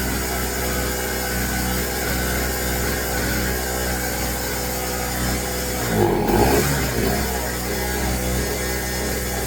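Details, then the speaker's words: New Pulsar 1200 W portable generator, first start with choke closed; loud buzzy high-revving note holding steady like a weed whacker, not quiet, slight sputtering; running normally. "It almost sounds like a little weed whacker. It's not super quiet. You can hear it sputtering."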